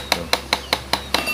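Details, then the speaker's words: Sekai wall fan with steel blades, swing gearbox engaged: sharp, even tek-tek clicks about five times a second from the damaged oscillation gearbox at the back. The fan won't turn left-right, and disengaging the gearbox stops the noise. "Jadi kipas angin ini, sobat, kerusakannya adalah saat dia menoleh kiri kanan atau swing kiri kanan, dia berbunyi tek tek tek, sobat, di belakang sini."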